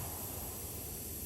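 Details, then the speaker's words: 2013 Fiat Abarth, engine off, boost leak test after NGEN intercooler install: steady soft airy hiss of pressurised air escaping where the boost gauge line was rubbed through by the belt; boost leak. "i'm going to charge that up again and let you hear it it's crazy yeah rubbed a hole in it right on the where the belt was"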